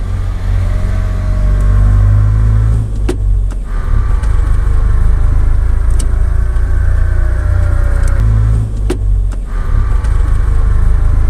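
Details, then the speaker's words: Differential under acceleration: heavy road rumble with a thin whine that slides in pitch, possibly from worn differential bearings (two side bearings, two in the pinion) eroded by humidity, use and wear debris. "esto puede ser por los baleros dentro de la calabaza existen cuatro uno en cada eje en dirección lateral y dos incluidos en el Piñón"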